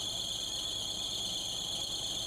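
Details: 2006 Nissan Maxima at idle: piercing, steady high squeal, constant in pitch, with AC on; accessory belt slipping badly on the alternator, voltage low. Repair involved AC compressor, expansion valve and condenser replacement.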